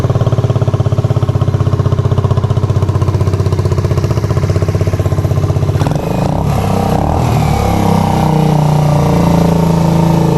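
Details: Rebuilt Suzuki GZ125 cafe racer/flat tracker with stainless exhaust, after nut-and-bolt rebuild: steady, even single-cylinder idle, then a quick throttle blip rising and falling back cleanly; running sweet, normal idle.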